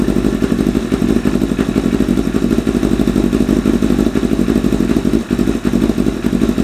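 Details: 1988 Kawasaki ZXR250 four-cylinder first run; uneven, lumpy idle with loose clattery pulses, never a clean rhythm, shooting flames; running ridiculously rich, owner suspects idle mixture screws set 3.5 turns out from bottom are too rich.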